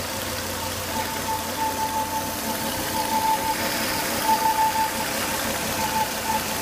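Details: Volvo S80 2.5T at idle with high intake vacuum, oil cap sucking air hard: thin steady whistle after 10-20 minutes running; failed crankcase breather box, solved by replacing the breather box/filter.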